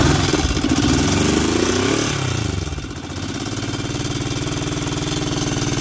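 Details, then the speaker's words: 1965 Honda CB77 Super Hawk, first start after restoration: twin revs, sags and settles to a slow lumpy idle of about four beats a second; carbs still need dialing in and idle raised; low idle. "Got a lot of tweaking to do. I've still got to dial in the carbs, get that idle up, get the mix going."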